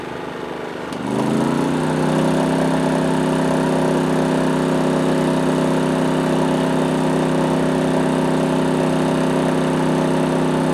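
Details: PowerSmart 2350W inverter generator as an 850-watt toaster is plugged in: engine note climbs quickly when load comes on, then holds a steady, even drone at higher speed; normal load response.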